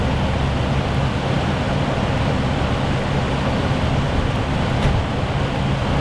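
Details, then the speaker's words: Non-running 1979 Jeep Cherokee Chief S Wide Track, V8 believed to be a 360, first start after sitting, primed with fuel, on a booster. It rumbles at a fast idle with no knock or tick; the bottom end sounds healthy, though fuel is spitting. "And she's not knocking. She's not ticking."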